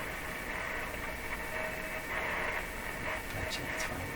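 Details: Philco 38-C7 tube radio on shortwave near 9 MHz (about 9.330), during decoupling capacitor replacement: steady static hiss with faint whistling carriers and no clear station. Weak, noisy reception from a hard-to-tune radio, probably alignment issues.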